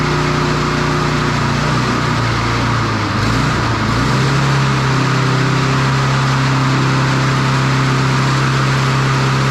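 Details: Standard push mower single-cylinder engine after a broken governor arm spring fix. Steady drone climbs to a higher, busier pitch and holds. The spring was moved one notch, a couple of mm, and the engine overrevs.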